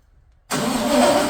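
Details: LS2 V8 in a 1967 Corvette convertible, first start after likely nine years unused, fuel pressure 50: brief quiet, then it catches at once and settles into a steady even idle; clean start.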